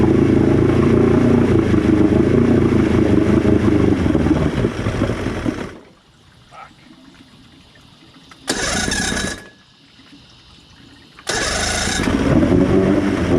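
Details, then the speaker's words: Boat engine after new fuel pump install, run in a water bucket, water pump now flowing, after about 30 seconds near full throttle: runs steady then fades and dies at idle; restarts are short and won't hold idle. "When I try and put it back to idle, it just slowly dies and kills."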